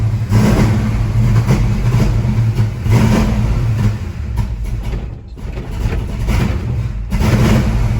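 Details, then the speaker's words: Ford Mustang Mach 1, warm, bigger coil fitted: rough surging idle that sags, nearly dies around five seconds, then catches; won't hold idle when warm, points shorting out. "she doesn't want to run it seems better with this coil but something else is still going on"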